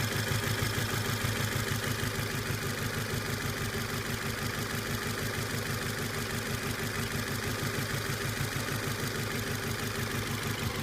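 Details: Volvo S40 with a rough, loping idle and steady thump about three times a second; code P0303 cylinder 3 misfire, but cause was two dropped valves on cylinder 4, which showed no compression.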